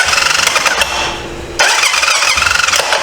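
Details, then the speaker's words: 2005 Honda Rincon 650 (TRX650FA) ATV: starter churns in quick uneven pulses that sag and pause without catching, slow weak cranking; blamed on a bad battery not putting out the right voltage, not confirmed. "starter don't sound too hot starter sounds kind of crazy"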